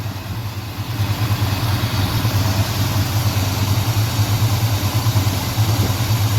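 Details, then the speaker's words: 1987 Chevy Monte Carlo SS 454 big block warming up after water pump change, fuel pump believed tired: steady even low rumble settling after a slight rise, idling smoothly; normal warm-up idle. "Now we can let it sit here and get warm. That fuel pump's definitely done for. So much better."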